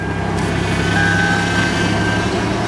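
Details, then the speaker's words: 1997 Toyota 4Runner idling just after refilling power steering fluid (leak present): faint steady high whine over the engine, much quieter than before; still power steering pump whine but sounds a lot better. "wow, it quieted up the pump a lot. And that definitely is power steering."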